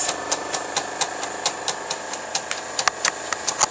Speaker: You can hear the amplifiers running.